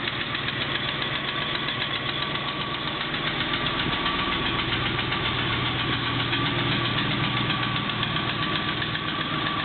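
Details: Triumph Stag engine at cold idle after several starter solenoid attempts: a steady, fairly regular knock of about four per second over the engine. Cause not stated.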